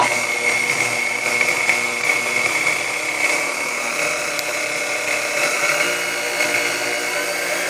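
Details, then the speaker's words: Chrome Sunbeam Mixmaster Model 12 motor with dried, crumbly cord insulation in for service: steady high-pitched whine with a rough, gritty edge and no speed change; resistor suspected out of spec and grease needing change, unconfirmed. "It needs a bit of work, but nothing major. At least I don't believe so. It sounds like it's probably, resistor's probably out of spec on there, and I'm sure the grease needs to be changed."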